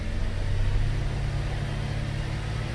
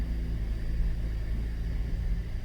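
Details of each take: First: 2013 Cadillac SRX, 114,000 km, on hoist with traction control off, after replacing rear driveshaft assembly for failed hanger bearing: wheels spinning give steady even low drone, no shudder or rhythmic thump; severe driveline vibration fixed. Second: 2013 Cadillac SRX at 114,000 km, wheels off ground, traction control off: deep heavy rumble and thumping under mid-vehicle as rear wheels spin up; failed rear driveshaft hanger (center) bearing, fixed by replacing the whole driveshaft.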